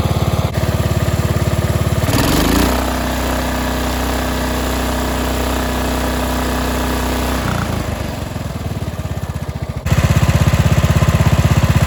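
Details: Cub Cadet 2146 lawn tractor, 14 hp single-cylinder Linamar engine, sat unused 3 years, choke frozen: cranks briefly, catches at full throttle and settles into a steady, even single-cylinder beat with no misses or knocks; normal running.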